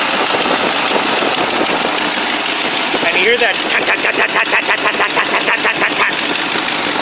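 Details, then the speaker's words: Old Buick engine, cold at about high-40s °F, at high idle. It is loud, with a sharp puffing tap at the firing rate, exhaust pulsations felt and smoke visible. The tapping got louder over time; the exhaust manifold gasket is leaking. "now at high idle it's loud I love it and you can certainly hear that and is actually applying smoke in the air as well"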